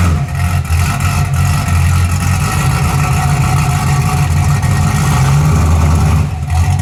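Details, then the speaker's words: 1981 Camaro V8 following a top-end swap, open headers without exhaust, timing and carburetor still unadjusted: deep, steady throb with an even rhythm and no knock or stumble throughout; idling smoothly and healthy. "But I ain't got the exhaust on it, it's still open headers. But so far, sounds pretty good."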